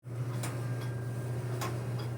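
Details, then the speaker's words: GE clothes dryer humming steadily with a sharp click about every half second as the drum turns; the front bearing assembly was found completely worn out. "GE dryer making a clicking noise so normally we look for the front bearing assembly that's the normal thing that we would go look for"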